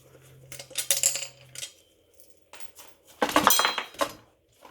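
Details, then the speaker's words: Suzuki GSX1400 floating brake disc, removed and shaken by hand. This is the less-worn of the two discs, yet irregular light metallic clinks show play in the floating buttons, so the disc needs replacing. "this is the one that's not too bad you can hear still a little bit at play definitely needs replacing"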